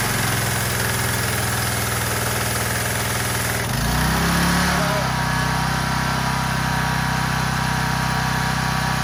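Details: Troy-Bilt pressure washer, Briggs & Stratton engine, after clearing the gummed carburetor's main jet with compressed air: rough catching noise, then a steady, even run with no misses or surging; sounds healthy.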